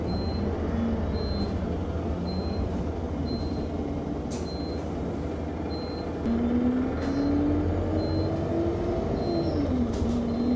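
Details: Go-Ahead London (Blue Triangle) Enviro 200 MMC 10.9m bus SE310 YX69NNP on route 364, recorded on board: a thin high beep repeats about once a second without stopping over the engine drone; continuous warning beep, cause unknown.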